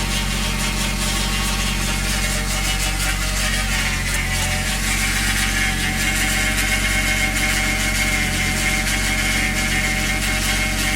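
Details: Toyota 1JZ VVTi engine with new oil pump, new timing belt and 10W60 oil: rough, uneven ticking chatter at cold idle starting 10-15 seconds after start as oil pressure builds, disappearing once warm; abnormal cold-start noise, cause unknown.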